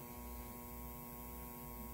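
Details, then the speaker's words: 1947 Sentinel 294T radio during speaker transformer troubleshooting, secondary reading only 4–5 volts: a steady low electrical hum with faint buzz through the speaker; mains hum, cause not yet found. "I don't know what's going on but it's still making four or five volts but listen to that hum you don't want that in a radio"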